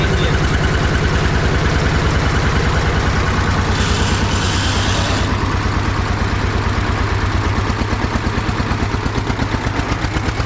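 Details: Restored Russian DT-14 tractor from the 1960s, single-cylinder diesel, hand-crank started cold after 10 years unused: slow, even single-cylinder thumping, steady and regular with no knocks; normal running.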